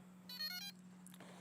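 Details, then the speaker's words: DJI Inspire drone powered back on after props stowed, by pressing the battery button once then again until lights come on; a short burst of quick high beeps then soft chirps, normal power-on tones in a quiet room. "Now power back on your aircraft by holding the battery, by pressing the battery once and then again until the lights light up. It'll make its beeps again."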